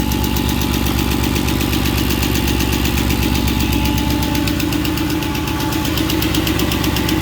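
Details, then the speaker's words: Mercedes M113 5.0 V8 swapped into a Ford Capri: quick, even top-end ticking about four per second over the idle. It sounded terrible at first start and quieted after running and revving; hydraulic lifters suspected. Unsealed exhausts behind a shield also leak. "Well, this thing here sounded horrific when I first turned it on. The top end sounded terrible, but running for a bit and revving it, it's quieted down, so maybe hydraulic lifters, all looking good."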